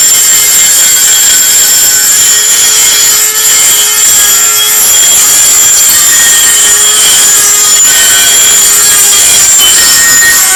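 Very loud, harsh high-pitched shriek with a steady whine near full speed, far too noisy for a healthy rotary tool; cause unclear.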